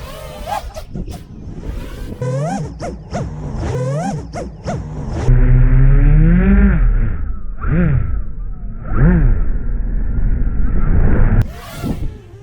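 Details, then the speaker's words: Betaflight 4.3 quad, no I term, flown line of sight after P/D balance adjustment: each flip gives a single clean motor rev, no double rev; overshoot gone, normal. "Just single. We're just hearing a single rev. You don't hear that double rev anymore."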